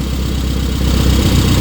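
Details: Rover Mini project car in a freezing garage, warm engine at idle with temperature gauge mid-way between hot and cold: even, steady putter at a settled idle with no misses, knocks or hunting; normal warm idle.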